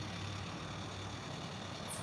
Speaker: still pretty noisy but a lot better than that annoying clicking noise